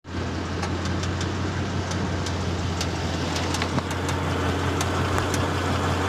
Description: My manual track pack GT, idling in neutral, with emergency brake on, heat on, with compressor kicking in, this noise occurs. Only 6000 miles, never drag raced, never spun the tires ever, always garaged and pampered. Piston wrist pin knock.